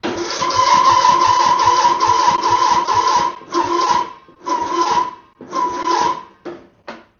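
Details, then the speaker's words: Mower that won't start: a strained, whining crank stopping and restarting in short bursts without firing. The owner first suspected the starter; an overtight deck belt was dragging the engine. "it's making another new weird noise that I've never heard before. Whoa, is your mower not starting and making a weird noise?"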